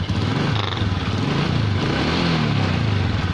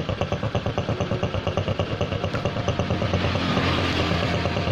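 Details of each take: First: Honda Supra X 125 idle: uneven lumpy snoring with a stumbling low beat instead of a smooth purr, caused by a vacuum leak from a cracked breather/membrane hose split at the clamp. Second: Honda Supra X125 after repair, idle now even and smooth with a regular putter, no snoring or rasping; the earlier snoring came from a head breather hose cracked at the clamp, disturbing the membrane vacuum, and the hose was fixed.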